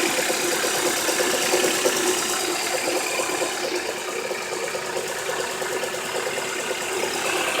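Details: Honda H22 engine idling: hard, regular knock about three per second over a harsh clattery run, from bad rod bearings.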